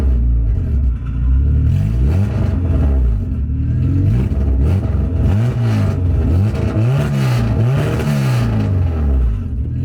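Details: H2B-swapped Honda Civic coupe with Skunk2 throttle body, after the throttle cable was adjusted: strong, clean revs rise and fall repeatedly with crisp response and no hesitation; normal revving.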